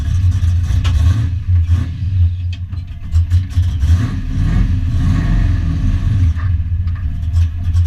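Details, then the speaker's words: Foxbody Mustang notchback on Holley Terminator X EFI and custom wiring, after idle screw and fuel table tweaks, warming up: deep loud exhaust rumble with even lope, no knocks or rattles; idling normally. "So yeah, stay tuned. Glad I got this thing running. So running on Holley and all my wiring."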